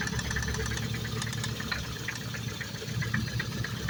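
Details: Freshly rebuilt Focus ST idling: sharp, regular ticking about five times a second over a quiet idle; owner unsure if injector or cam phaser, not timing chain, suspects split coil misfire (third coil found bad); cause unconfirmed.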